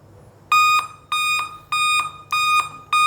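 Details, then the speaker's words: Dell laptop: repeating high beeps, about one every 0.6 seconds, continue even after the system has powered on. This is a CMOS battery fault. "यह देखिए guys जैसे system on हो गया है उसके बाद भी य वॉइस लगातार आ रही"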